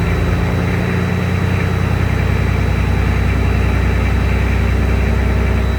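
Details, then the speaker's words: Freshly rebuilt 12.7 L Detroit Series 60 diesel, after electronic runaway traced to possible moisture arcing harness pin connectors and cleaned: deep, steady idle with even smooth beat, no misses, knocks or surging. Normal idle. "Everything's normal, great throttle response. Everything seems to be well there."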